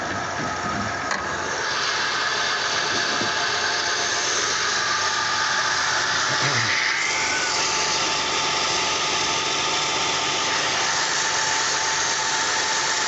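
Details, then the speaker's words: 2004 Kia Sorento: steady idle with fast crackle and snapping ticks as spark jumps from plug wires on one bank, shocking the mechanic; wires on that bank need replacing, connectors on the other bank have a problem. "we having as you can hear you know the the static uh the jumping of um the spark plug so oh"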